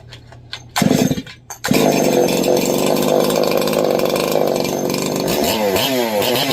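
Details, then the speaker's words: Ported Holzfforma G366 Pro chainsaw with a triple-port muffler mod, first start while running only one piston ring: after a couple of pulls it catches and holds a crisp, high, steady full-throttle scream with no stumble. Normal running. "Oh my god, am I excited to run that one. That sounds fierce."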